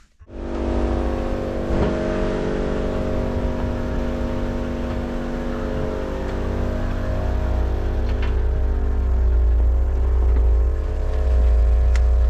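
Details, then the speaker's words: Vauxhall Corsa B GLS 1.4Si after a misfire fix: steady, even idle with a smooth low hum and no stumble, still running on all four cylinders; normal running. "still sounds like it's running on four which is nice"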